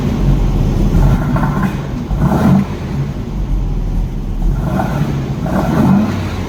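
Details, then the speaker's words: 1964 VW Beetle flat-four with a backfire problem, running after the ignition part was swapped: low, even rumble with gentle swells, no pops or bangs, still a little cold but firing on all four; normal idle, backfire fixed. "ready can you believe sounds so much better huh little bit cold still but it's firing all four"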